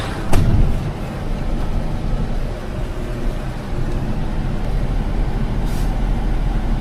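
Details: 2007 Mitsubishi Fuso Fighter FM260, 6M60 7.5L diesel, after replacing knocking injectors: steady low idle with sharp air hisses as drained air tanks refill; runs evenly.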